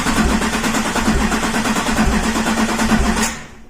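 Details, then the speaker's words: 2007 Chevy Silverado 2500HD 6.6 Duramax LMM diesel on a low battery cranks with an uneven, lopsided beat hitting harder on one stroke; relative compression test points to a mechanical fault in cylinder 3, with valve action on that side to be inspected. "And you can hear it when it's cranking. There's definitely something mechanical wrong, but at least now we have a pretty good idea of what side of the engine we need to explore."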